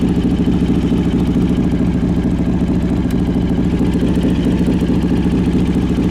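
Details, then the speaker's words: 2003 Harley-Davidson Road King, carbureted, choke pulled, gear-driven cams, timing cover inspected: loping V-twin idle with faint steady whine on top from the gear drive; normal. "so I don't know if you caught it or not but that little wine you hear that is the Gear Drive"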